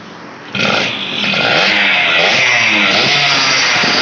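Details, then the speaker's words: Yamaha two-stroke whose throttle holds back and drops when opened: sharp buzzy rev climbs but ragged, never pulling cleanly; no reaction to a trigger test, so weak ignition, not carburettor, is the cause, with black plug. "oke tiga caranya punya maka bisa dipastikan itu adalah dari pengapiannya"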